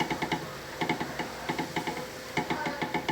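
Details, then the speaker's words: Hand-pumped shock absorber, removed from the car, knocks three or four times per stroke; the same knock is heard when driving over holes. Shaft play at the bottom of the damper causes the shock absorber knock. "ó ó e quando anda faz esse barulho aqui"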